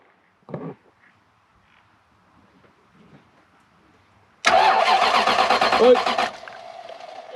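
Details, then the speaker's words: Toyota Soarer 1UZ V8 cranking with no fuel pump operation, spark present: starter churns rhythmically for about two seconds with no firing; cranks, won't start for lack of fuel. "it does read that there's fuel that sounds deered as a door nail oh there's a little bit of a chuff at the end there"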